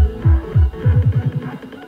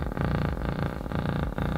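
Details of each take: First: 300 W RMS subwoofer after repair: deep bass thumps play clean with no buzzing, after debris in the voice coil–magnet gap causing rubbing was cleared with compressed air and paper. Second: 300 W RMS subwoofer: bass comes out as a harsh, rattly buzz instead of clean bass. The amp tested fine on another speaker, so the fault is in the speaker; voice coil rubbing.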